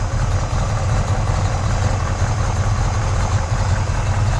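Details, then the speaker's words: 1965 Pontiac GTO convertible, 389 V8 Tri-Power, 4-speed Muncie, in neutral warming up: deep, steady burble at about 900 rpm, even and smooth with no knocks or misses. The engine sounds healthy. "Just about 900 RPM. Again, just a beautiful vehicle. 1965 GTO Convertible, power top, 389, documented. Engine sounds healthy."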